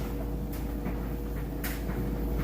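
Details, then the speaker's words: Kenmore electric dryer on timed dry, high heat, loaded with washed clothes: steady low drum hum, even motor tone, light tumbling knocks; runs smoothly and quietly, normal. "let's go ahead and just stick it on time dry high heat signal doesn't really matter you just hit go as you can hear it sounds great"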